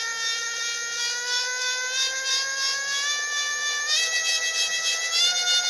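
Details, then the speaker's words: Stepper motor on analogue PWM control (pots on A0/A1): high whirring with stacked pitches stepping upward, unsteady as it hunts for sync because drive phasing is slightly out; increasing mark helps it lock. "And that whirring effect is because the phasing is actually slightly out. Like that, it's trying to sync it."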